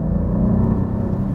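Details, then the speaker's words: Alfa Romeo Giulia Quadrifoglio, about 18,000 km, idling in neutral: deep, coarse, lumpy exhaust rumble likened to a three-cylinder 1.0 TSI, no longer the fine sound it had at a few thousand km; cause unknown, possibly hard use. "w neutralnym położeniu jak 1.0 tsi w Skodzie jak trzy cylindry. Jest to kosz koszmarne. Koszmarne."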